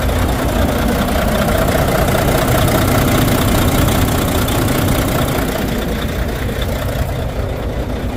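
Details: Volvo D13 diesel truck engine with misfire and low power: rough, uneven idle with an irregular knocking beat; injectors on cylinders 5 and 6 found badly worn.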